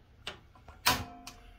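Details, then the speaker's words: Atwood RV stove piezo igniter, after replacing the igniter wires (two burners had not been igniting): three sharp separate clicks about half a second apart as the burners are lit; normal piezo ignition. "So we can see the sparks are going. Let me get the light off. So we're all going. So let's fire it up and see what happens."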